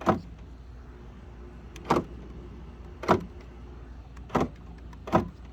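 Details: 2011–2018 Dodge Durango after replacing the master power window switch, lock button worked with key out of ignition: five crisp clunks about a second apart over a quiet hum, each lock actuator snapping firmly and evenly; normal lock operation.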